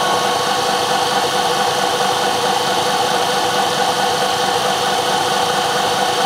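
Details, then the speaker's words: 1 HP Bridgeport R8 milling head on a converted planer, 5-inch 45-degree face mill, light finish pass on bar: steady, even cutting hiss, no chatter or knocking; very smooth finish with slight swirls. "I come in here behind the cutter that's a very smooth cut it doesn't look good you can kind of see some swirls but it's actually boy that's a that's pretty smooth"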